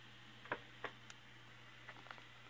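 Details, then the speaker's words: Universal waffle iron model 15 UG-17 heating on high after replacing a line cord burnt off its heating-element contacts (heat control frozen): quiet hum with scattered light ticks and crackles from the plates and tray expanding as they heat; normal, not electrical. "here's some crackling but I think it's just these plates expanding getting hot and I know it is because say you can hear them when I open this tray okay just the tray expanding ain't getting hard"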